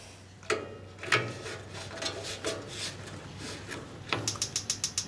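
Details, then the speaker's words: Weber Genesis grill after replacing the igniter with a generic unit. A fast, even train of sharp ticks as it sparks properly, fixing the no-ignition problem. "and i don't know if you can hear it let me get the camera closer you can hear it clicking so it's igniting so that was the whole problem"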